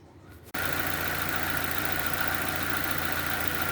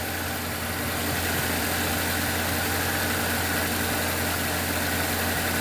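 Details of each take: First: 2007 Nissan Y11 Wingroad, QG15DE cable throttle, with a stuck fuel pressure regulator causing rich running and a burnt ECM IACV driver. After a brief quiet start it settles to a steady, even low idle of about 825–850 rpm: normal idle. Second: 2007 Nissan Y11 Wingroad QG15DE cable throttle, warm, idles steadily but high because a burnt ECM driver for the idle air control valve leaves it stuck open; also running rich from a stuck fuel pressure regulator.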